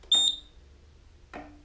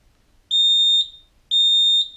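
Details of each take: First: Roma Sorrento mobility scooter, after throttle potentiometer replacement for a throttle fault code and drive adjustment at the tiller: a short, sharp high beep, then a faint click in a quiet room; normal reverse beeper. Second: Roma Sorrento mobility scooter with throttle fault code, after throttle potentiometer replacement: four even high beeps about one per second, reverse warning sounding because the pot moved off centre while tightening the grub screw. Reverse beeper from off-centre throttle potentiometer.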